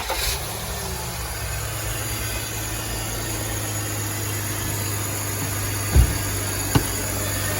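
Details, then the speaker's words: 2005 BMW X5 after replacing A/C compressor clutch bearing and recharging A/C: steady low petrol idle, smooth, no grinding or whirring from compressor bearing; normal idle after repair. "more core Stone coming from the compressor bearings and doing some smooth and nice"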